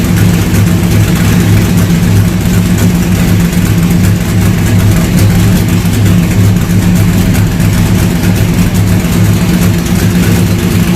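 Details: C3 Corvette with LS swap and newly built stainless side-pipe headers, first run: deep, even V8 burble at idle with a steady lope and no ticks or knocks; running clean and healthy.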